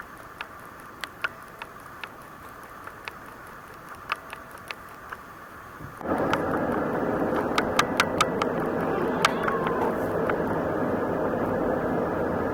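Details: Canon ELPH 310 HS camera: sharp, dry clicks about twice a second in its own video recordings, cause unknown; the owner fears a design flaw and is sending it to Canon for repair.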